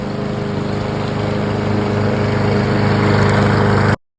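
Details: Briggs & Stratton 675EX engine that would not start, after repair and reassembly: steady, even putter holding pace without missing, then cuts off cleanly; running healthy.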